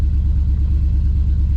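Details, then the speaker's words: GMC Yukon V8 at idle, before intake gasket, knock sensor, O2 sensor and injector work: deep, lumpy, stumbling idle that sounds terrible; scan shows heavy misfires on rear cylinder 8 (up to 240), some on cylinder 1. "so we're going to start it up [Music] and it sounds terrible"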